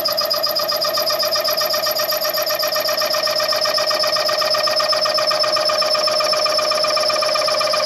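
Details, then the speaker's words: Machining the rear main seal bore on a Chevy 400 block for line honing: steady high-pitched screech with rapid, even flutter, cutter chattering because its back has no rake or clearance; tool chatter. "It's working, but I don't really like the rake on the back of that cutter cuz it's that's why it's chattering because there's no clearance on the back."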